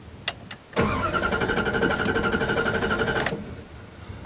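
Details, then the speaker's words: 2001 Dodge Ram 1500 5.2 V8, 137,000 miles, long-sitting, after gas tank patch, new plugs and fogging oil: starter cranks steadily without firing, fuel gauge not registering; crank no start, out of fuel. "gas tank is still not registering any guests I'm gonna put pour a little bit more in there and see what happens"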